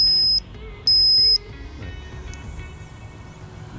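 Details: Two long piercing high beeps then warbling sweeping tones from a rodent deterrent left connected to the battery of a 1999 Ford F-350 7.3 Powerstroke, with the engine battery disconnected during squirrel-damage cleanup: the deterrent is sounding as intended.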